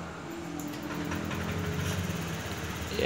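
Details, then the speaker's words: Honda Vario 125 scooter after restoring weak fuel pump pressure that caused sluggish power and stumbling; now starts, idle steady instead of surging, firm note, no misfire, pull responsive; normal idle after repair. "sudah menyala dan sudah terasa tidak brebet lagi suaranya sudah garang dan tarikannya pun juga spontan Begitu juga dengan idenya sudah tidak naik turun lagi"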